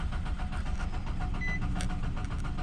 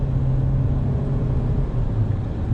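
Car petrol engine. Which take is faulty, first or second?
first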